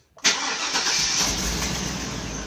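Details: 2002 Chevy Avalanche 2500 V8 with hard starts and stalling, scan showing mass airflow performance and misfire codes: short crank, then catches and runs with a slightly uneven beat; weak fuel pump confirmed as the cause.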